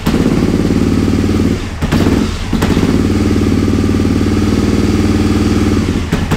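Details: Aprilia RSV Tuono 1000 V-twin after over-rev from missed shift (2nd instead of 4th at limiter): rough uneven idle with loud irregular clacks and thuds from the clutch side. Internal breakage; engine block later replaced.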